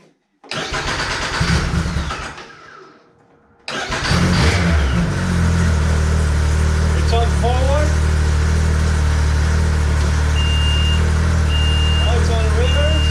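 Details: 2014 Arctic Cat CR 7000 snowmobile, after correcting a motor mounted 180 degrees wrong that caused starting in reverse: crank, brief stumble, then fires and settles into a steady, even idle with no grinding; healthy start.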